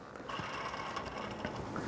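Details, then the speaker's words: Hand-spun idler pulley removed from the engine's belt drive gives a thin, steady ringing whine that fades as it coasts down; worn, noisy idler bearing, two of three idlers singing, all three being replaced. "oh yes this one is singing the blues as well so we got two idlers that are very noisy"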